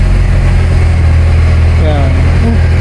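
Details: Mini Cooper idling, spark plug change for misfire: steady, even low idle with smooth unbroken rhythm, no stumble or skip; engine running cleanly.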